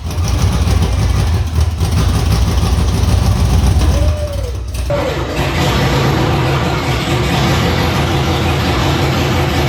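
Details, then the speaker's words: Fresh LQ4/LS3 V8 on its first start, untuned for the cam, long-tube headers and 43 lb injectors with an LS1 harness: brief crank, then catches into an uneven, lumpy, stumbling idle; rough idle. "so I don't want to run it too long because I haven't done any recalibrating yet so we got to tune it for the cam shaft"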